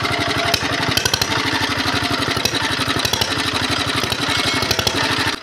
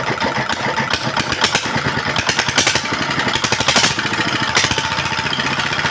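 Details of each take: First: Diesel engine whose revs rise by themselves and won't drop, heavy smoke despite newly replaced nozzles: hard, rapid single-cylinder thudding that never settles into a clean idle, uneven; worn piston, rings and loose liner are to blame. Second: Single-cylinder diesel after repair, previously racing up on its own with smoke and uneven running despite a new nozzle: now steady, even chuffing idle about five beats a second, no high pitch, smoke gone, more stable than before.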